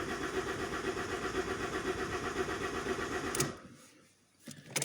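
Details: Healthy common-rail diesel with the airflow signal deliberately disabled cranks at about four beats a second, never fires and winds down. The air mass reading is near zero, as after a burst intercooler pipe; some engines, like the 1.3 Multijet, need airflow to start.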